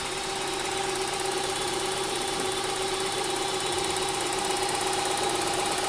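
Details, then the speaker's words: 2003 Honda Pilot AWD, 114K miles, previously weak cranking then no start, timing belt found wrong and repaired, top covers off: steady idle with light even valvetrain ticking; runs smooth and healthy, normal idle. "Oh, that sounds so much better. Oh, that sounds so much better. Let's go look. Oh, that sounds like Violet."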